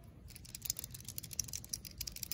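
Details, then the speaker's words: RM85 two-stroke dirt bike engine, cases split during rebuild: a worn main bearing turned slowly by hand barely moves and gives dry, gritty grinding and rough clicks; replaced with new bearings. "this one's like almost shot it barely moves I don't know if you guys can hear that it's grinding this one right here"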